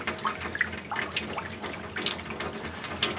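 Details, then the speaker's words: Well-pump cabin, spring refill after compressed-air winterizing, aerator removed, 40–50 gallon water heater filling: water rushes with occasional spits and hiss, then evens out as air clears. Faucet flow steadying after the refill. "Oh, it looks like it's evening out a bit."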